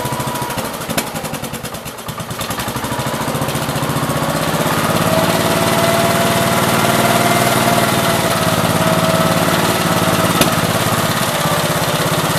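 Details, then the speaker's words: 1969 Gravely 432 with a rebuilt K321 14 hp single-cylinder engine and a new piston, running for about half an hour. Steady, even thumping at three or four firings a second with no knocking; healthy normal running. The owner suspects a fuel pump problem. "so it's been sitting here running for every bit I've got a half an hour so pretty happy with it"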